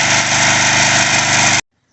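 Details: Craftsman 3.5 hp edger/trimmer after carburetor cleaning, idle screw set about 1¾ turns: steady, even high idle with no surging or stumbling before shutoff; runs clean.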